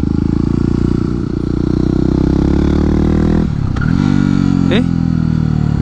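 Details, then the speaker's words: Yamaha WR250X supermoto without a slipper clutch, downshifting quickly without a throttle blip: the single-cylinder drone dips and the rear tire chirps and chatters, skipping as the clutch is released. "let me do it quickly what's that chatter noise? scared me there what's going on?"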